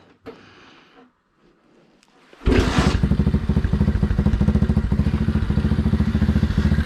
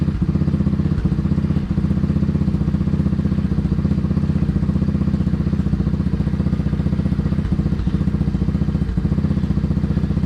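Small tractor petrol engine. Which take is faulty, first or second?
first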